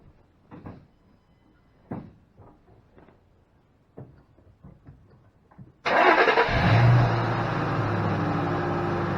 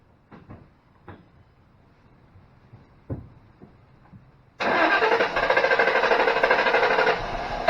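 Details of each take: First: 2005 Ford Mustang GT, no-start after driving to work, codes cleared (P1000): a few quiet clicks, engine catches, flares briefly and settles to a steady, even idle; starts and runs normally. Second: 2005 Ford Mustang GT, died at lunch after driving to work: starter cranks evenly for seconds but never fires; no-start, mass airflow reading watched while cranking, codes P1000 and P061B seen, cause not confirmed.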